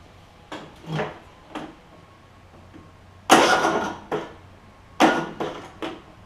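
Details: John Deere E100 mower, 17.5hp Briggs, 80 hours, good starter and battery: short uneven cranking bursts that never catch and stop dead each time; broken compression release on the camshaft causing hard starting, camshaft to be replaced.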